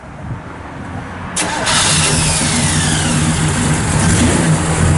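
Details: Restored numbers-matching 1966 Chevrolet Impala SS, 327 V8, 4-speed, aluminum radiator and dual exhaust: brief cranking, then it catches at once and settles into a strong, even V8 rumble. A clean, quick start.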